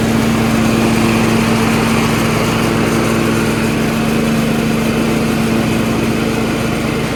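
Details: Yard Machines 38" riding mower, 13.5 HP Tecumseh engine, running: steady, even single-cylinder putter with constant hum, no misses or knocks; normal running. Owner suspects possible carb issue after an earlier stall.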